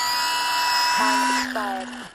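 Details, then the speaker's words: Parkzone Micro P-51D Mustang, brushed motor on a 1-cell stick battery, after its maiden flight: steady high motor whine then clean wind-down after a 4:30 timed run, not yet at low-voltage cutoff. "There you go, so we ran his motor for exactly the 430 I had him set up for. You know, and he's not gone to LVC, so he probably could fly a little bit more."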